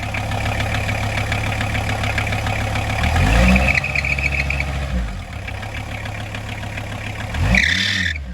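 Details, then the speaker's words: 1994 early VW T4 van, 2.4 L 5-cylinder AAB diesel: shrill alternator belt screech at idle, jumping out on each blip, worst from cold; belt slightly too long (13x1125) to tension properly, fixed with 13x1100 belt. "So it's got quite a screeching fan belt. The belt that drives the alternator is it's either not tensioned properly or it's stretched or something, but it's really screeching, especially from cold."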